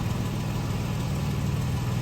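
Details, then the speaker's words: Late-model Toyota Tacoma after reattaching loose catalytic converter heat shield with clamp and bolt (rattle complaint): steady, even low engine hum with no metallic buzz or rattle; normal exhaust, no rattle, repair fixed it. "all right that takes care of it they don't all have to be really expensive repairs"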